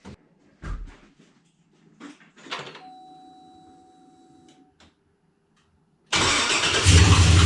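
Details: Chevrolet Blazer after transmission and transfer case reinstalled, fluids filled, first start: after some clatter engine catches abruptly and settles into a steady even low drone, no knocks or squeals; normal idle.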